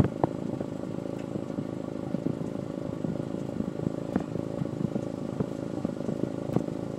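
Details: Honda S2000 petrol engine at idle: uneven beat broken by occasional sharp stumbles and pops, an idle misfire.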